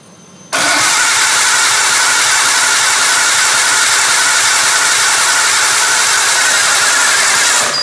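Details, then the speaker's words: Nissan R32 Skyline barn find, freshly reinstalled RB20DET turbo engine, first start attempt after priming oil pressure with CAS unplugged, CAS then plugged in: about seven seconds of fast even cranking, no firing; crank no start, no fuel delivery because feed and return lines were swapped. "That did not sound at all like it wanted to go. All right, so we have our first problem. It does not go."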